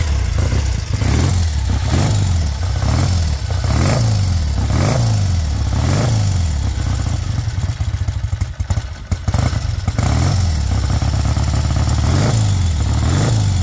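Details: 1968 Triumph T100 Daytona twin (1968 frame and engine, non-matching numbers), still a bit cold: even, steady twin beat with a slow, regular rise and fall in revs, no knocks or rattles; normal cold idle.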